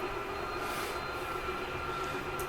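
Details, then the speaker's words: Whitehawk 32KBS living room slide extending, exterior door closed: steady electric motor hum and high whine, brief grinding at end from the stop mechanism, no knocks or catching; normal slide-out operation. "plus i want you to hear that little grinding noise that i purposely held for a couple seconds that's fine to hear that nothing's grinding nothing's hurting anything it's just the way the uh mechanism keeps itself from sliding out any further"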